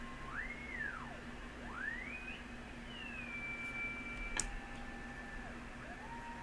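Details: Yaesu FT-101E transceiver, first power-up through dim bulb tester, full volume, signal generator injected: clean tone sweeps up and down then holds steady over low hum; receiver passes signal properly.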